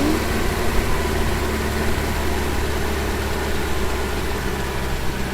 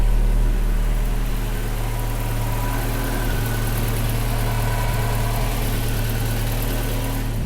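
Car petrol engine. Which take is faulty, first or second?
first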